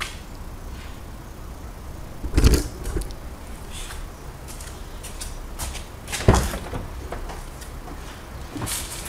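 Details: Peugeot Bipper, engine off, a couple of sharp clunks from the front left as the steering wheel is turned each way; clicking when steering, cause still undetermined.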